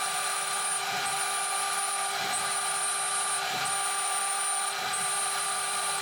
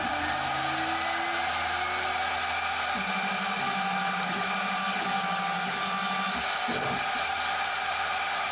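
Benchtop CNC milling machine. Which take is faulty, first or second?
second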